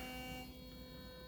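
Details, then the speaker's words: Philips Sonicare toothbrush after fixing a loud, wobbly head by reseating a part: short, even, low-volume high-pitched buzz with no rattle or wobble, way quieter than before; motor running smooth, though some slight wobble remains. "that is way quieter. Way quieter. Okay, so I think we've got it."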